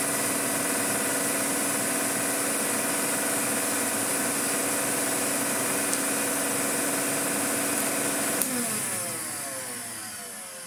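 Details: Hoover 427 cylinder vacuum (July 1977), stored for years, first power-up: an even, steady motor roar runs about eight seconds, then winds down smoothly with no rattle or grinding; the motor runs normally, though the switch tabs are broken.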